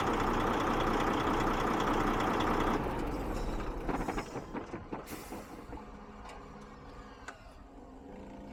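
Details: DAF XF diesel truck idling steadily and evenly after the fuel pressure control valve was replaced; injector correction value dropped about 20%. Fuel system cleaner is planned next.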